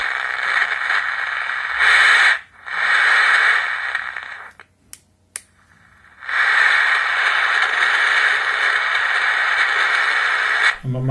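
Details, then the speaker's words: Emperor AIE-641 radio after repair of very quiet audio: loud steady static hiss from speaker, brief clicks while tuning, no daytime station; volume now normal. "Gördüğünüz gibi ses geliyor artık radyodan."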